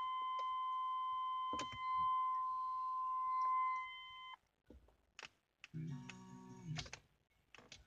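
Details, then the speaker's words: GMC S-Series truck, key at accessory power; steady chime stops dead when the switch is pressed, then scattered relay-like clicks: accessory power cuts out. Radio, wipers, windows and air fail, ABS and brake lights stay on, no blown fuses. "But yeah, like I said, if I try to turn on the windshield wipers, I don't know what that clicking is."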